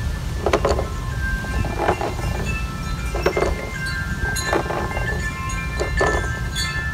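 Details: Kingsong 16X electric unicycle at low speed: hub motor gives a scraping grind pulsing about once per wheel turn; cause unknown, not always been like this.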